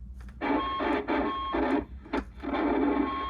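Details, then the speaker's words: Harsh, crunchy bursts of CB radio transmit audio with brief dropouts from an early-1990s Astatic D-104 "lollipop" microphone. Its push-to-talk leaf switch contacts are oxidized and dirty from sitting. "the little leaf switch contacts get oxidized and they get dirty even from just sitting and it's more ox oxidation than anything and um what happens is you get a really scrunchy audio"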